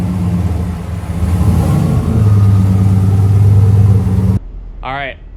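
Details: AWD turbo V8 race truck after new fuel injectors, warming up: deep, even rumble swells as revs rise then drops cleanly, no knocks or misses; running better than ever, nearly ready for tuner/dyno.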